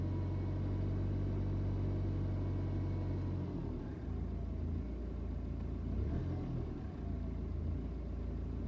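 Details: BMW 320d N47 diesel at idle: steady, then uneven with wavering beats and dips. Suspected idle misfire; idle jumps when the revs come back down, with blue smoke and a strong smell on cold start.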